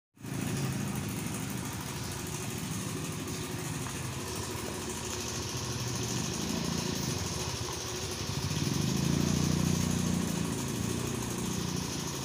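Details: Yamaha Soul GT automatic scooter at idle: a fast metallic clatter that rises slightly with revs. After teardown the workshop found the cam chain rattling because its tensioner had failed.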